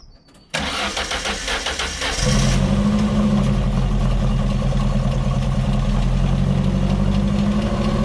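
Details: Ford Fiesta XR2 with professionally refurbished Weber 28/32 TLDM carburettor refitted and anti-run-on solenoid wiring fault fixed, solenoid now powered: cranks, catches at once, then settles into a smooth, even idle with a steady low hum and no stumbling; normal start and idle.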